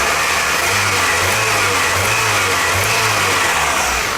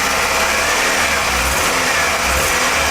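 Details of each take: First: 1998 Toyota Camry after swapping spark plugs and wires to trace the cylinder 2 and 3 misfire. Smooth, even revving hum with no stumble or skipped beats; the misfire is gone and the engine runs normally. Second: 1998 Toyota Camry with constant single-cylinder misfire (codes for cylinders 2 and 3): idle steady in pitch but beat stumbles; pulling cylinder 2 plug wire gives no change.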